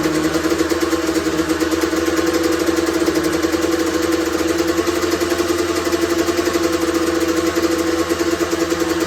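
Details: Honda CR125R two-stroke, first start after full teardown and top-end rebuild over winter, run indoors: crisp, steady two-stroke buzz with clean even idle, no rattles or misfires; normal running.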